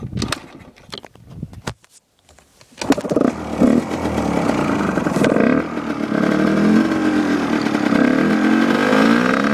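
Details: Husqvarna WRE/SM 125 two-stroke, original exhaust, carburetor cleaned twice and unadjusted: rough start, then an uneven, stuttering idle; it won't rev high and heats quickly to about 85; cause unknown.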